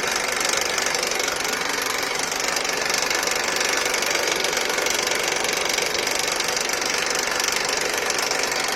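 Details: Honda Accord with a K24 engine at idle: a steady, fast rattle of about four taps a second over an even idle. The rattle comes from the engine and its cause is not yet pinned down.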